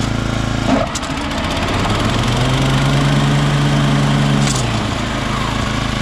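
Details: Toro Turfmaster after deck belt replaced with a half-inch stretchy rubber belt: engine runs steady and even with blades engaged, no knocking or slapping; deck drive sounds sound.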